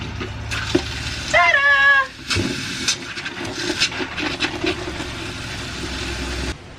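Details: Restored Toyota RV water system test, water pump on, checking lines for leaks: after a short squeal, water runs from the tap with a steady, even rush and no sputtering or surging; pump and plumbing normal.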